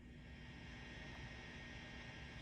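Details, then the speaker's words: Fender Deluxe Reverb reissue tube amp after filter capacitors and a new filter board were replaced, volume on 10: constant low hiss with a faint steady hum from the reverb channel, no crackle or pops. Hiss attributed to the treble pot, while the reverb noise's cause is unconfirmed. "A little bit of hiss remaining. It's from the treble pot."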